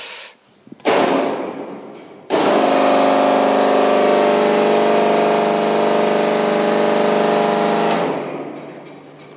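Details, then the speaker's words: Feed pump on a 665 kg/h steam boiler, run by pressing the pump with its valve nearly closed during the low-water level safety check. Harsh buzzing whine with rough rattling for about six seconds, then winding down; pump sounds bad, cause unclear. "Là on l'entend, elle fait un bruit de merde quand même, la pompe."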